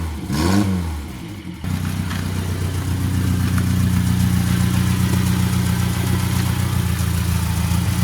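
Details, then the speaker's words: Suzuki Carry 1.0 after its bottle-type ignition coil was replaced with a Baleno/Karimun/Estilo coil pack: the engine catches after a brief crank and settles into a steady, even, smoother idle with no stumbling or misfire. "Ini suaranya, Lur. Aduh, anteng, Lur. Lebih stabil, lebih anteng, lebih adem rasanya, Lur."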